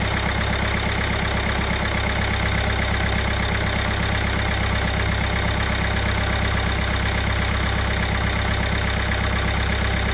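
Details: Kia Sportage 1.7 diesel after the injectors were cleaned, copper seals replaced and a new rocker cover fitted: a steady, even diesel idle clatter with no misses or knocks, sounding healthy. Injector 1 then leaked fuel until its connector was clicked home.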